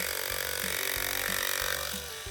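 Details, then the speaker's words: Andis AG animal clipper under repair: high, thin motor buzz with uneven rattle pulsing about twice a second; bent blade latch lets the blade chatter, runs much quieter until the latch is let go, latch to be replaced. "H so my latch is bent so it probably won't make that sound when I uh lift this up"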